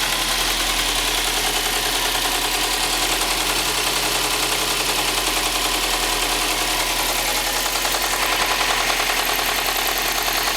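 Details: Subaru STI at rough idle: steady rapid knocking about three per second, easily mistaken for rod knock, piston slap or spun bearing, actually caused by a bad belt tensioner.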